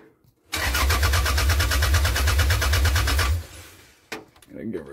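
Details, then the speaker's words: 1998 Toyota Camry after fuel system and tank rework, with starting fluid sprayed into the intake: starter cranks evenly at about three beats a second for three seconds and it never fires. No-start because the engine computer was left unplugged. "we put some quickstart into the uh into the intake there and she still wouldn't start and i couldn't figure out why i started checking all my grounds and everything and there's something i forgot and she'll never run for a million years as i forgot to plug the computer back"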